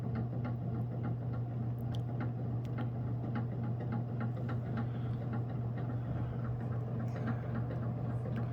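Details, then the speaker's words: Antique early-to-mid-1920s Robbins & Meyers 52-inch ceiling fan, badly worn from lack of oil: steady hum with a light tick three or four times a second as it slowly spins up; rotor rocking on the motor shaft, likely about 200 RPM at full speed. "is definitely quite janky, and it takes a minute for it to get up to speed here."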